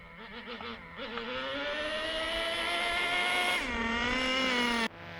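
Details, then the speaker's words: Traxxas T-Maxx 2.5 nitro RC engine with new Losi 3.4 carburetor, still rich from factory settings: climbs cleanly from burbling idle, holds high revs, drops back; starting to wake up, throttle response better. "there we go starting to wake up a little bit so i do notice that the throttle response is better"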